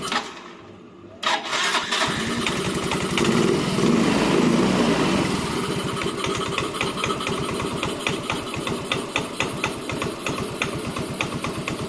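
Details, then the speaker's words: Yamaha Mio M3 125 scooter with unstable idle, compression tested at 7 bar: engine catches after short crank, settles into even steady idle; idle seems normal now. "ini untuk langsam ini sendiri Kayaknya sudah normal karena tadi dicek di comersioner itu sudah diangka 7"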